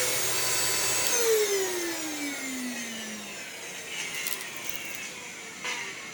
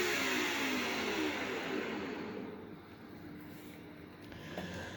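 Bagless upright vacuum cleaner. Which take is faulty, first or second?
first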